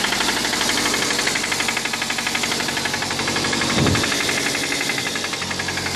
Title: Suzuki aerio rod knocking